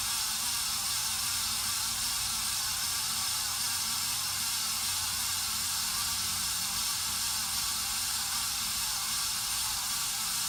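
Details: 53-inch Casablanca Spirit of Saturn ceiling fan running with a loud, steady hissing rush and faint low pulsing from bad bearings, recorded before the bearings were replaced.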